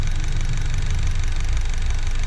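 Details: Car idling on CNG (5th-generation system) with fast, even sewing-machine tapping from worn CNG injector rail, noise increasing over time and resonating in cabin.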